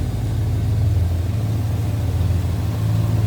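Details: 1968 Ford Galaxie 500 2-door hardtop, 390 V8, warmed up and down off high idle: deep, steady burble at idle, even firing with no misses, knocks or ticks; runs smooth.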